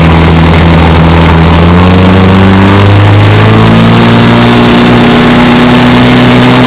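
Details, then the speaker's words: 1954 Johnson QD-15 10 HP outboard after restoration and after tightening a lock nut, on the water: settles from a rev change into a smooth steady drone with even firing, no stumble; runs great, idle good. "Runs good. I'm talking about great. Idle's good."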